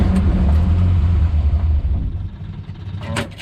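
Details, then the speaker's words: Morris Minor after SU fuel pump replacement, on easy start/brake cleaner with choke: bursts into rough loud run then sags and dies within three seconds; suspected dirty fuel in tank, not confirmed; starts then stalls. "yeah she doesn't want to run on filth in the tank that's a damn shame"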